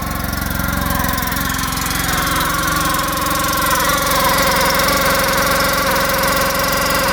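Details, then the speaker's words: 2014 Polaris RZR 800 that sat a couple of years, with milky oil from coolant mixing and a new clutch and belt: steady idle with a fast, uneven rubbing rattle. Clutch rubbing its plastic cover; seller thought the new belt was squealing. "Yeah, something doesn't sound right. They said there's a brand new clutch on here, too. Oh man, does that sound bad."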